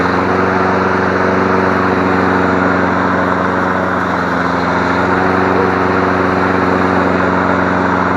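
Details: Free 21-inch MTD Select Series self-propelled push mower after replacing sheared flywheel key (cord had snapped back) and checking intake; final restart, single-cylinder engine runs steady and even with no misses, knocks or surging; normal running.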